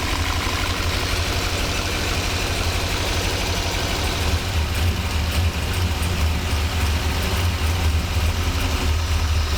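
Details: 1985 Monte Carlo SS with a cammed 6.0 LS2 swap, sitting 5 years, fuel system rebuilt, fuel pressure fine, injectors getting signal. Deep V8 idle with an uneven lope and occasional dropped pulses; still misfiring from stuck injectors.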